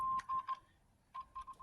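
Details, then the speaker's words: Audio-circuit troubleshooting by signal injection: clean mid-pitched test beeps in short bursts injected across the output transformer lug come through the speaker, confirming output transformer and speaker work. "Operator error. Okay, so you hear it. So we just checked, by just doing that, we just checked the output transformer in the speaker."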